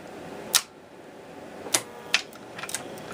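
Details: 1961 Seeburg AY100U jukebox on the second attempt at the mechanism clutch adjustment, switched on in the play position. Sharp, isolated mechanical clicks at uneven gaps over quiet room hiss; owner suspects a screw adjusted too tight, not confirmed.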